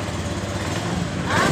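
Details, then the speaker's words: Honda Beat Pop scooter that stalled while riding and was hard to start, after replacing the fuel pump pressure part and the fuel pump filter, with fuel pressure now a normal 42 PSI. Steady, even engine note with no misses or stumbles: normal running. "tekanan sudah berada di normal 42 PSI jadi motor ini langsung hidup dengan normal"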